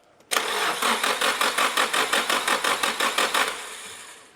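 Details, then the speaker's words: Nissan 180SX, primed with fresh fuel: starter turns about three seconds with uneven chuffs and never catches; aftermarket loom running Audi R8/Lamborghini/VW coils fires cylinders in the wrong order, cranking backwards on itself. "sure cranking backwards on itself sounds really bad not in the sex move way so what has happened is this is an aftermarket Loom to run our Audi R8 Lamborghini coils"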